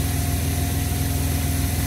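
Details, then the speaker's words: Long-neglected car, fired right up and idling with a smooth, even low rumble, no knocks, misses or ticks. Normal idle. "fired right up. I just can't believe it."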